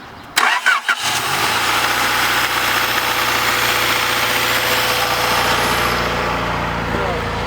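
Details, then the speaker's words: Honda Prelude with idle air control removed and throttle cable suspect, being checked with butterfly valve open: engine catches fast and holds a raised busy idle around 1500 rpm, not from cold; high idle from stuck-open throttle. "that's open my car doesn't idle at 1500 even when it's cold when it's cold in idols are like 200 that's right you don't have the idle air control anymore"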